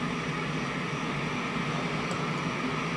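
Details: Steady, even hiss with no rhythm or hum in the right channel of a 1971 JCPenney 1758 solid-state stereo, traced with a tube signal tracer to TR20's collector; moving TR20 and R110 changes nothing. A noisy transistor is suspected.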